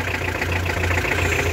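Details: Hyundai HR diesel idling after fuel filter replacement: steady clatter with even rhythm and low pulsing drone, no stumbling; engine runs normally.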